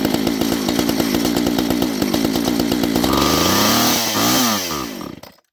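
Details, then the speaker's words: Homelite 240 chainsaw that had not been run for a while, possibly out of fuel: lumpy uneven burble, revs sag and it dies, keeps running only on choke; burning rich, owner suspects too much oil in the gas or an air issue. "i think i might have used the last fuel there it doesn't want to run without choke"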